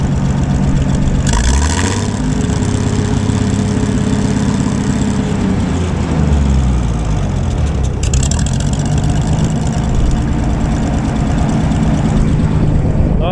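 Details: Gleaner A combine's old engine after rewiring a rat-chewed power wire to coil and fuel pump, about 10 lb oil pressure if the gauge works: steady, even low rumble with a smooth blip of revs midway, no knocks or misses; idles cleanly.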